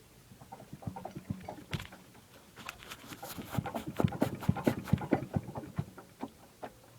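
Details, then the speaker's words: Stopped engine on a project vehicle (2-bolt main, car block) turned over: irregular wet clunks and sloshing thuds, about two a second. The engine is full of water, and the oil is milky. "That is water in that engine. It is full of water."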